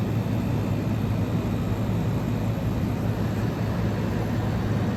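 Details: 1977 GE Superthrust air conditioner rescued from an abandoned building, fan stalled so only the compressor is heard: a low, steady hum with no knocking, rattling or squeal. The suction line is sweating cold, the reading is 105, and the compressor is running properly.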